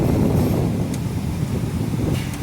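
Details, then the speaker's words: 2001 Mitsubishi Pajero Sport cabin blower, after motor removal and air box cleaning, reassembled, tested across speeds 1–4: steady, even low whoosh, no rattle, ticking or scraping; earlier loud noise resolved. "agora todo montadinho vamo testar a a 1ª 2ª 3ª 4ª velocidade os lados aqui"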